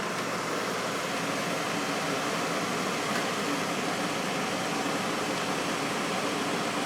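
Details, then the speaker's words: 8,100 BTU GE window air conditioner running on low, first time installed in the window: soft steady airy hum with even fan rush and compressor running, no rattles, clicks or squeals; quiet and blowing cold air. "This thing is actually pretty quiet on low."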